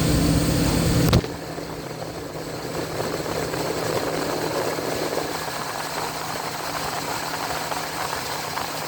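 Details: 2000 Chevy C3500 with 7.4L 454 V8 and a no-crank fault traced to a ground-cable voltage drop; battery fell to 10.5–11.2 V while cranking. Brief crank catches, then a smooth, even idle with a steady low hum; runs normally.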